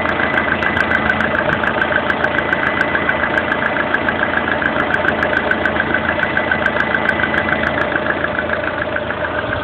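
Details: Lada Kalina 1.4 16-valve four-cylinder at idle: regular light metallic tapping, a couple per second, over the hum; internal engine knock of unclear origin.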